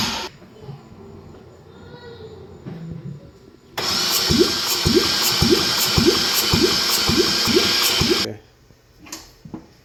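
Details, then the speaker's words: 2014 Porsche Cayman that fired only briefly: starter turns the engine about two even beats a second without firing; compression test shows low compression on several cylinders, suspected water ingestion. "crank it again it's low on this one too which I guess um if it sucked a bunch of water and it would hit more than one cylinders"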